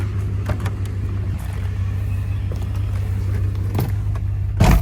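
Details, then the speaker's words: 1994 Jeep Grand Cherokee ZJ 5.2L Magnum V8 right after Idle Air Control valve replacement: low steady idle rumble around 700 rpm, no hunting, dips or stumbling; normal idle, problem apparently solved. "It's idling at 700 RPM, which is typically normal for a 5.2."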